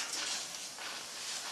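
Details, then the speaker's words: Natural Choice pulsator milking machine on a Jersey cow, vacuum pressure set to four: after milking, machine turned off and the front release valve opened; soft steady hiss for a couple of seconds as air bleeds back into the claw and lines, releasing vacuum. "do is turn off the machine and then a little release valve in the very front you just undo that and then you'll hear a hissing noise and that's the air releasing from all the section"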